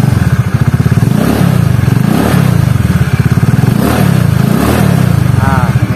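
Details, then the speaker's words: Honda Beat carburetor scooter after replacing worn CVT rollers and sliders, which caused harsh CVT noise at low rpm: steady low engine throb with even pulsing, smooth CVT drive, no rough flutter. "enteng ya guys ya Jadi udah ketahuan penyakitnya di roller"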